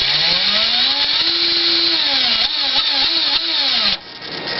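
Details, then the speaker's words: Axial XR10 rock crawler with a Hot Racing big-bearing gearbox: clean motor whine rising and falling smoothly with throttle, with no clicks or grinding; healthy quiet gearbox. "this sounds really good this is what i was hoping this would actually sound like one day"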